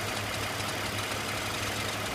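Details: BMW E46 330Ci inline-six at idle: a fast, busy ticking clatter over a steady hum, coming from the front of the engine; cause unknown.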